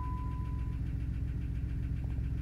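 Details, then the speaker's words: 1992 Plymouth Voyager just after oil change that drained metal shavings, old oil smelled burnt, oil pressure now good: deep heavy idle with dull repeating thump; engine knock at idle. "okay well we've got pressure but you can't see that that's not a good noise"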